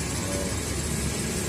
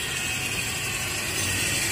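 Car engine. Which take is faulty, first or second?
second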